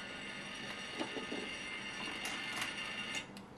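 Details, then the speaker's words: Irregular light ticking and chattering, about three clicks a second, from a Sartorius analytical balance's mechanism that won't power on; a shorted tantalum capacitor is overloading the 5 V supply and soon burns up. "well if there's one way to find out what the problem is is just wait for it to blow up and identify itself and here we have a very angry tantalum capacitor"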